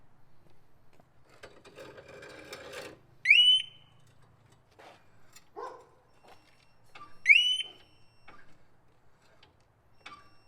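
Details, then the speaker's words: Harley-Davidson Smart Siren II alarm (HD 68328-06A/B) on a 2015 Street Glide Special, tested in closed garage: two sharp, very loud rising whoop chirps about four seconds apart, first and second warning chirps; alarm siren triggered. "I've just tested it in the garage with garage closed it is loud so you will know if somebody's trying to get on your bike"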